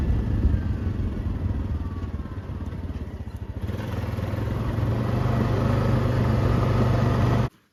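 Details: 2021 Honda Rubicon 520 DCT (TRX520FA6) ATV after a valve adjustment: single thumps along evenly, then revs up and holds a smooth, steady drone with no top-end ticking; normal, healthy running.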